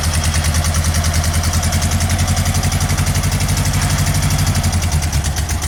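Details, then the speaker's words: VW flat-four running on only two cylinders, both on one side: a heavy, lumpy, uneven pulse that shakes the whole car, with fuel smell from the dead cylinders. A clunk suggests the clutch may not be adjusted right. "You hear the 2 cylinders. Whole car's shaking because both cylinders on one side are running."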